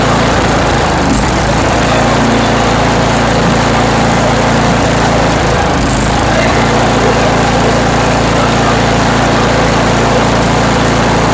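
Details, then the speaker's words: Toro Power Max 828 LE snow blower, 8 hp Tecumseh engine, after replacement with an adjustable Amazon carburetor and main jet tuning: loud, steady full-throttle drone with no surging, hunting or stumbling; mixture running smooth. "I okay now the engine's running well nice and smooth RPM at Full Throttle"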